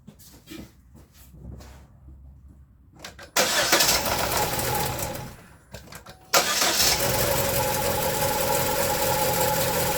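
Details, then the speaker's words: Engine start on a 2011-2015 Chevy 1.8L right after timing belt, valve cover gasket, spark plug and actuator replacement, water pump not yet done: cranks, catches, fades, restarts and settles to a steady even idle, no knock; sounds good. "That sounds good."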